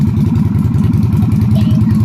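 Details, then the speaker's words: Yamaha Virago XV250 (Route 66 edition) V-twin idling steadily and evenly with no knocks or misses, first run after fitting a new carburetor, no choke cable fitted; carburetor still needs tuning but it sounds good. "still going to have to mess with a carburetor a lot but it's running I can't believe it sounds good"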